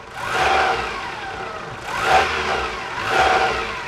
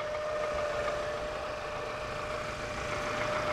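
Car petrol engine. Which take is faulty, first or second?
first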